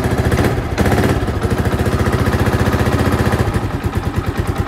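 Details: Old Yamaha Vixion that wouldn't idle or start on the starter, after idle adjustment and cleaning the starter button contacts: steady, even single-cylinder putter at about two firing pulses a second, idle holds without stumbling, running properly.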